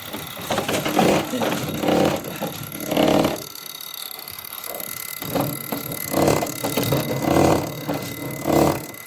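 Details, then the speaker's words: Hyundai Grand Starex (hard starting, low power, white smoke), injector on a tester: evenly spaced crisp hissing spray bursts about one per second. The injector sprays properly; the problem was only the washer. "So okay walang problema yung stop na natin syempre. So ganyan lang pagte-testing. Pagka buo lahat to okay naman."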